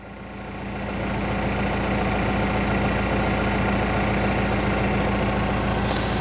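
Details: BMW E46 3 Series after fuel pump and pre-supply pump replacement, previously cutting out randomly after about half an hour with fuel pressure codes: smooth, steady idle, even beat about 3.5 per second, no stumbles; no fuel pressure codes; normal idle.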